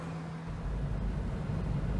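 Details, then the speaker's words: 2003 Pontiac Vibe (Corolla Matrix twin) driving after a basic tune-up: steady, even low engine drone with no stumbling or sputter, no misfire; the original coils were apparently still good, and some smoke is expected from oil spilled into the plug wells. "there is not even a hint of misfire now I guess the coils were still good"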